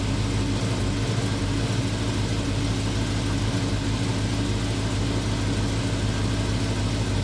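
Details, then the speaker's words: VW Transporter with RS4 V8 and twin turbos: deep, even idle burble with steady low rumble, no puffing or ticking; sounds better than before. "Now, that does sound like a V8. That does sound better. Sounds better. Oh, it sounds a lot"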